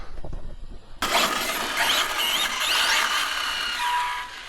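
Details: Arrma Felony RC car after two years of ownership, on brand-new tires. A high-pitched motor whine swoops up and down with each throttle blip; a clean, strong-running electric drive.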